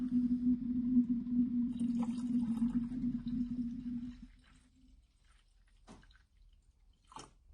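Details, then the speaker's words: 2001-2005 VW Bora 1.9 TDI, engine off, refilling coolant after temperature sensor replacement: steady gurgling glugging for a few seconds fading to drips as coolant flows into the system and displaces air. "I'm not sure if you can hear that, but you can hear it glugging away, so it's obviously starting to go through the system itself, which is handy."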